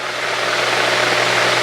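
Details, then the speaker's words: 1964 Cessna 210D with IO-520 engine, long stored, at cruise, wide open throttle at 21 inches manifold pressure and 2300 rpm before leaning: dense, steady engine roar with no surging, misses or uneven beats; healthy engine. "We're wide open throttle 21 in cuz at this altitude, we're not going to be making a whole lot of manifold pressure. Okay, that's 2300. Feels good."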